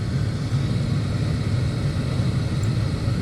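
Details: 1989 Carrier furnace, about 30 years old, running after a no-heat call with 1-3 flash code: steady low rush of air at even pitch, no squeal, scrape or rattle; normal blower operation.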